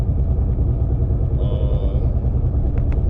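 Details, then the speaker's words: Loud, deep, steady rumble while driving at road speed, no rhythmic component; owner pretty sure it is a wheel bearing but says it could just be brakes (hopes so); not confirmed. "But other than that, man, that loud ass noise y'all hear is the wheel bearing in the seat. That thing is actually, I'm pretty sure it is a wheel bearing."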